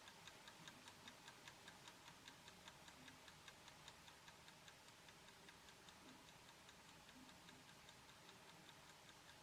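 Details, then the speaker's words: Horstmann VA Mk9 SRS2 time switch whose synchronous motor is self-winding the spring reserve: crisp, steady ticking about 2.5 per second over a faint whirr. The escapement ticking is normal. "So as you can hear there, it was ticking a little bit. Okay, the synchro motor did wind that up a little bit, and got it ticking ever so slightly."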